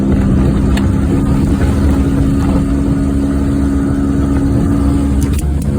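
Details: 1994 Geo Metro on a short drive with a bad wheel bearing: low steady drone while cruising, rising and falling with road speed under the engine note; worn wheel bearing growling.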